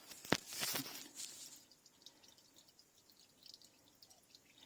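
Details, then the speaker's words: Citroen SM 3.0 Automatique under restoration, engine off, coolant filled to about 4 litres: faint irregular dripping as water leaks from the cooling system, an actual leak rather than spillage. "The level came to the top and is kind of sitting there, but I can hear dripping."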